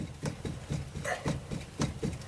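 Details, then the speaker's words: 1956 Volkswagen Beetle, steering wheel rocked back and forth: dull repeated clunks from play in the steering box; tie rod end may also be moving. "definitely got some play there in the steering box"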